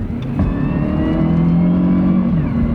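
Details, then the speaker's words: Honda CR-V with a couple hundred thousand miles accelerating on the highway: a faint thin whine rises in pitch over engine and road noise, mild and not outrageous. "you can hear the little whine in the but it's not outrageous"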